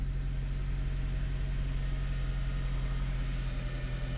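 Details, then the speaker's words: 2006 Honda Element K24 petrol four-cylinder, after a misfire (P0301) fixed by replacing the injector with a genuine Honda one, idles with a steady, even low hum and zero misfires. "I can already tell that it's running really smooth."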